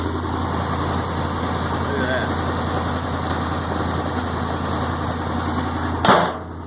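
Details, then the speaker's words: 1965 International Loadstar 1700 truck, first start after pickup: steady, even idle with a smooth low hum, not missing a beat; only an exhaust leak noted. "I'll tell you what you want a good running motor that sure is it that thing sounds great not missing a beat"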